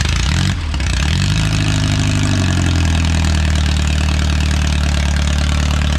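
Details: Original Renault 4CV engine (circa 1949, welded cracked block) reassembled after ~70 years in parts, first successful run, warming up: steady, even low idle with no misses or knocks; hardly any exhaust smoke.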